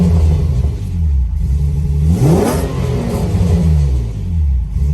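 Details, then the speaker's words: Free revs on a 4.1L stroker Nissan Maxima running E85, first start after JWT cams, ported heads and Holley Hi-Ram intake install: strong, even engine note swelling through quick revs and settling cleanly; normal, healthy revving. "Let me give you guys a few revs real quick before I cut the video off. Give y'all a few revs. The E85 is strong, boy."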